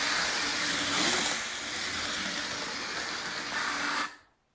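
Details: Lionel model train armature motor running quietly after oiling the reservoir and a dot on the armature shaft to cure a squeal; steady whir with airy hiss, no squeal, then stops.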